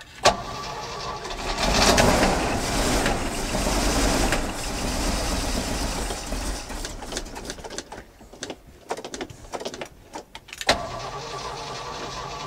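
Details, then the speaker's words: 1981 Jeep J20 4WD pickup with a 360 AMC V8, first start after sitting: it runs lumpy and uneven with irregular knocking before shutdown; oil pressure present. "hey hey we got oil pressure it runs just not very well"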